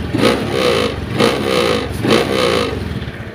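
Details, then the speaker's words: Honda Vario 110 FI scooter with rough, too-high CVT noise and unstable idle, revved in short bursts; loose buzzing rattle from the vibrating body panels rising on each blip, during CVT service and front bearing replacement. "jadi ini ya bodynya gentar nanti akan kita perbaiki ya"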